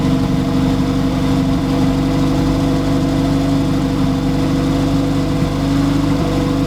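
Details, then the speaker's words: Honda Civic EF sedan, B-series turbo build on EMU Black, first start with wastegate fitted, run only seconds with no coolant or turbo oil feed: steady even idle, smooth low drone, no knocks, misses or hunting; normal idle. "And it sounds so good."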